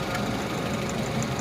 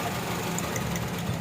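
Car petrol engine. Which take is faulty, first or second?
second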